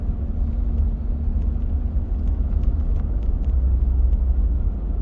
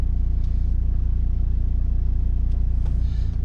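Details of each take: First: Volvo XC90 driving after replacing two engine mounts to fix engine vibration: steady low rumble with no knocking, shudder or thumping; engine now runs smooth like new. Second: Volvo XC90 idling in reverse: a deep, pulsing low drone as heavy vibration shakes the steering wheel and cabin, worse parked on a slope, from failed engine mounts; the rear mount leaks vacuum and the side mount is suspect.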